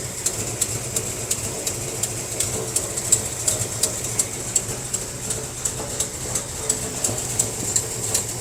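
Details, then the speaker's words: 1957 Chevy wagon barn find with a big-block V8, first run in about 20 years after carburetor fix and with a working fuel pump: a crisp, sharp tick about three times a second over a steady low idle, indicating an exhaust leak somewhere. "Definitely got an exhaust leak somewhere. So it's idling pretty good."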